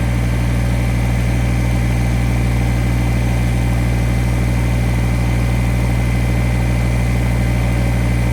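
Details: Kubota BX1850 diesel tractor after new ignition switch and battery: steady, smooth idle about three firings a second, no misses or knocks; healthy, run to charge the battery.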